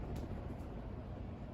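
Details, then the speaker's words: 42-inch Westinghouse Casanova Supreme ceiling fan from 2009 running on high speed with a steady, even low whoosh and no ticking, rubbing or wobble. The owner notes a hum at other times. It is running normally. "I think this one has a better motor and I think this fan runs flawlessly on high speed I mean it just flies through"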